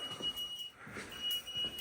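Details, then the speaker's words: Basement with a newly installed system, beside a unit showing two flashes and an alarm: short, shrill electronic beeps in repeated bursts. A safety cutoff valve is seen turned off, and the cause is not yet known. "There's my beautiful system I installed. And here's his 2 flashes and an alarm."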